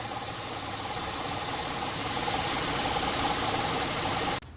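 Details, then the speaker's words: 2006 Honda Pilot warmed up, in Drive with the parking brake on: light tick about 3–4 per second over the engine hum, traced to the drive belt auto tensioner; replacing it solved it. "it sounds like the sounds coming from that idler tensioner so I might replace it and see how that goes"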